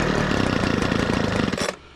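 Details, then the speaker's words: Homelite backpack blower after carburetor replacement, on 50:1 mix, half choke: fast, even two-stroke buzz with steady firing pulses for under two seconds, then it cuts out, before carb adjustment. Normal running at half choke. "all right fire it up so I'm gonna go to half choke"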